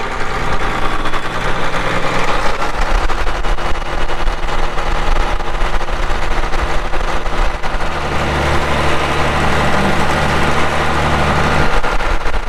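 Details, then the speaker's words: 1980 Caterpillar D6D bulldozer, 140 HP diesel, PowerShift, 9,255 hours: cranks up and starts right, settling into an even, heavy, unbroken idle rumble with no knocks or misses; normal start and idle. "Cranks up, runs good, it starts right"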